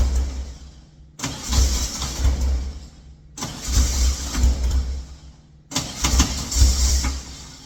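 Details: Engine cranking after a timing change: three roughly two-second cranking bursts with rhythmic chugging, never fires; owner suspects timing is 180 degrees out and possibly low on fuel, plans to revert to previous setting.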